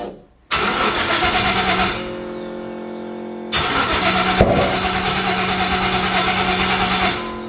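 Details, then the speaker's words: 5.3 LS V8 in a 1955 Chevy pickup, first start after fuel tank cleaning and new fuel system with filter before a loud pump: long starter churning before it catches, then drops back and cranks again; owner suspects improper fuel priming. "so hard cranky I have to look into that I wonder if it's not getting a proper Prime could be because of the way my pump is"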